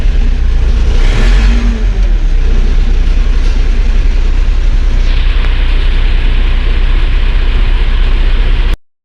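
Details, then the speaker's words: Claas Dominator 48S combine diesel, cold start after four months' storage, about +5°C, oil cold, old battery, started on second or third crank: deep steady rumble, revs lift then settle evenly; normal cold running. "завівся не з півтика але хо що акумулятор не сильно ну такий вже старенький акумулятор то з другого крутка чи з третього Я думаю що це нормально"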